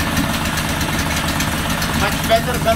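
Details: Honda 5 hp four-stroke outboard idling steadily and evenly with no misfire or stumble after carburetor cleaning and spark plug check/gap, fixing a hard start that previously took about 10 pulls; normal idle.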